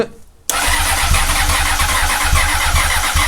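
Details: 2004 Honda CBR 600RR after new throttle cable and levers, primed with throttle: starter churns with steady rapid pulses, engine almost catches but never settles; hard start, long cranking.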